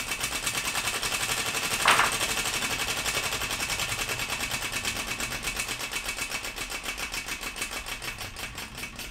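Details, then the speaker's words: 3D-printed air engine fed from a pressurized bottle, push rod adjusted to the right length with no air leaking. Spun up, it runs with a rapid steady clatter of about four beats a second that slowly eases off; running properly. "now if I spin up the engine if it turns over then that means that it's the right length obviously"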